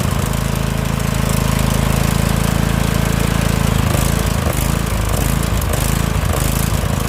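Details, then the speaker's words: Husqvarna lawn tractor with Briggs & Stratton Vanguard V-twin, newly started after refusing to run: low, lumpy beat wavering unevenly instead of holding speed; engine hunting and surging, carburetor judged to need removal, fuel problem suspected. "I don't know why I really don't know why it wouldn't run until it did but that's besides the point because now it does run but you hear the way"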